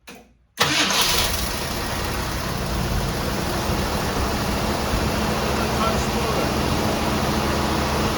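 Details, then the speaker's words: Grandfather's 1966 Ford Thunderbird, neglected for years, restarted after its battery went dead: it cranks briefly, catches cleanly and settles into a steady, even idle. Sounds good apart from a small exhaust leak. "Sounds good, don't you? I like it. A little exhaust leak, but other than that."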